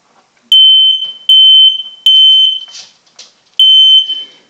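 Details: Household smoke alarm test: loud high-pitched beeps near 3 kHz in four bursts of roughly three-quarters of a second each, sounding cleanly; alarm working normally.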